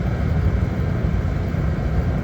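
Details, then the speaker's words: Master radiant heater labelled kerosene-only, running on diesel after starting first try from bone dry: a steady, even, quiet low roar with no sputter or surging. The heater is burning cleanly and running normally. "that's what I'm talking about God it's Qui too man run on diesel"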